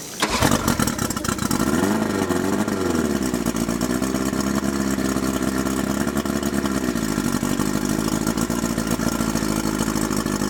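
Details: Mercury 50 hp two-stroke four-cylinder outboard after cleaned carburetors, added electric starter, electric choke and key switch, and repaired recoil start: catches quickly and settles into a smooth, even run with no misses or knocks; normal running.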